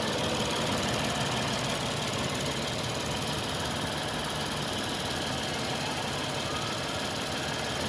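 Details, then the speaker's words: Lexus IS250 (2007–2008) idling steadily and evenly with a smooth hum and no misses or knocks after a used three-wire sensor was fitted to cure a 5-volt short to ground that caused no crank, no start and no check-engine light. "तो गाड़ी अभी बिल्कुल बराबर है।"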